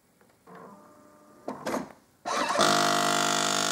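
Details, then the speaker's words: Jura coffee machine during descaling: a few quiet clicks, then the pump buzzes loudly while drawing water into the empty system before going quiet; normal pump priming noise. "ppa pompował głośno bo była pusta al już zaciągnęła wodę już jest cichutko już jest w porządku"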